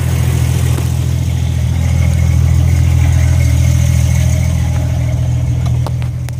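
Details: 1998 Jeep Grand Cherokee 5.2 V8 135 A alternator fitted to a Jeep XJ on 36s, running after install; deep, even idle rumble with a steady beat, no squeal, tick or miss, so a clean smooth idle.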